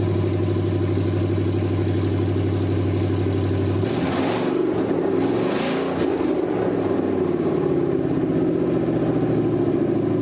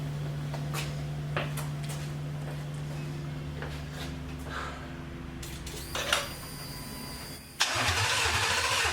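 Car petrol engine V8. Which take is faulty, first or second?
second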